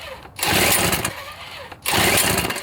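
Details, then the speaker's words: Toro two-stroke snowblower, hot and hard to restart: two short bursts that catch, then sag and die. The owner feels compression is down and suspects a fouled plug; after a plug swap the RPM is still lower and something is not right. "it feels like it doesn't have as much compression I think it might have fouled the plug"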